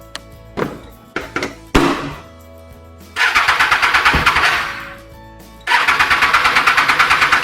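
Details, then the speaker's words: Triumph Street Triple R after K&N air filter cleaning, reassembled: starter churns in rapid bursts about three a second but engine never catches; fuel line not connected correctly, so no fuel delivered. "Weird, something is wrong. So my initial thought should be the fuel line, which wasn't connected correctly."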